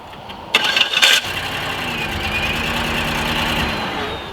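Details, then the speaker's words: 2008 Buick Lucerne 4.6 Northstar V8: cranking longer than normal catches into an uneven, misfiring idle, with a noise like the starter engaging while running; severe misfire, cause not yet found. "So I told him I had a problem with the way it was starting because it was actually trying to fire up longer than that, like this cranking time."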